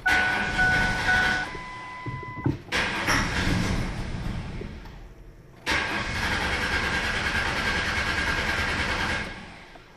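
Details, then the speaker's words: Car with the fuel pump relay pulled to simulate a dead fuel pump: a chime, then the starter cranks about three turns a second and briefly tries to fire on residual fuel but won't start; crank no-start from no fuel. "some residual fuel left so it tried to fire but now it's not going to start"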